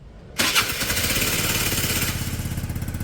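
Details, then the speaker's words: Peugeot Satelis scooter, barn find revived after immobiliser/ECU wiring work, warming on automatic choke; fires on the first touch and drops into a steady, even putter with no misses, starting straight away; healthy start and idle. "it sounds great now back up work and the lights on can hear it y it's ni fine it start straight away that it doesn't matter"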